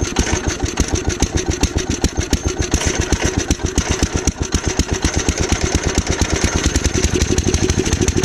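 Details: Gravely Commercial 12 34" snow blower, cold, after carb cleaner: fast even chuffing at about eight pulses a second that never catches. Hard starting; a shrunken carburettor fuel line was found afterwards.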